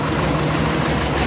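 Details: Carburetted Mazda B1800 after 12 months parked, with a correct-size battery fitted and the intake cover refitted. Steady, even low rumble at idle with no knocks or misses; sounds healthy.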